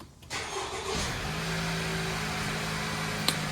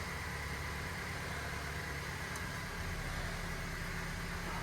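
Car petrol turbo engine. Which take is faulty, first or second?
second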